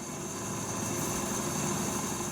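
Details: Washing machine runs with a steady, even hum and no knocking, rattling or banging after the loose springs holding the tub's concrete counterweight blocks were tightened; the springs were chilled in the freezer before refitting.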